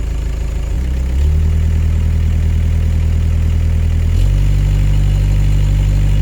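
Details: Bobcat S130 skid steer diesel after replacing an extremely dirty air filter: settles into a steady, even idle after starting, then steps up slightly in speed and holds smooth with no misses or knocks.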